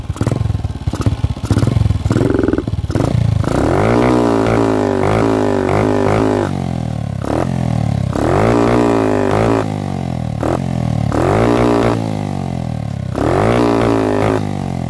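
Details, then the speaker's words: Carbureted Honda CG single-cylinder with a high-cut CDI, after carburetor swap and larger jet, revved hard stutters and cuts out at high revs, fine at low and mid; carburetor suspected, not resolved. "Tá com o CD normal e cortando."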